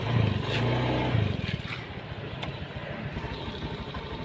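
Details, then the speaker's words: Honda Beat, fine on the centre stand and free revving, but when ridden: engine note breaks into uneven stuttering putter as throttle opens, hesitating and unable to pull; sputtering and hesitation under load, cause unconfirmed. "Gas saya pelintir. Nih, tangan saya ini kelihatin. Tuh, berpet. Mau jalan, tapi ya gitu. Nggak bisa lari. Berpet."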